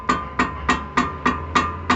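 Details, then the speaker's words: 2006 VW Polo brake caliper: over road imperfections, sharp metallic knocks about three a second as the loose brake pad shifts in its bracket; mechanic says the floating caliper bolt usually loses its thread and the pad doesn't seat. "O cliente está reclamando que quando ele passa em alguma imperfeição no asfalto, ele está escutando esse ruído e a gente já tem noção qual que é o diagnóstico desse problema aí. Geralmente o parafuso que flutua aqui atrás para segurar a pinça perde a rosca."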